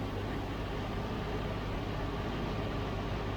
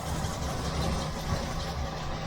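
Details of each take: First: 1971 Range Rover Classic, cold start at about six degrees, CO about 4.5%: even, steady low rumble with no knocks, misses or surging, idling smoothly. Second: 1971 Range Rover V8 idling lumpy with a steady misfire; one cylinder dead, number one cylinder found misbehaving when checking exhaust port temperatures.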